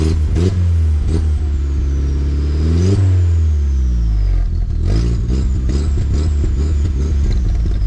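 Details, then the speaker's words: MK4 VW GTI 1.8T about a week after welded exhaust repair with V-bands, engine blipped: raspy, chuffing edge growing on throttle; exhaust leak near the turbo, suspected downpipe gasket, possibly manifold; muffler baffles also suspected failing. "it's got an exhaust leak uh up toward the turbo hoping it's not an exhaust manifold i think it's just a downpipe gasket that goes bad in this thing every once in a while"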